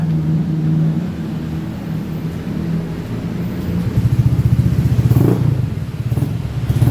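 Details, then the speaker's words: Honda Beat FI scooter on the center stand: uneven revs, loose irregular idle beat. Complaint is hesitation and poor running up to 40 km/h; customer suspected the TPS sensor and fuel pump filter, cause unconfirmed. "Jadi yang dikeluhkan konsumen nya sampai 40 km/h itu susah ketika jalan dan ketika ber ketika seperti ini pun standar tengah ini memang agak berebet."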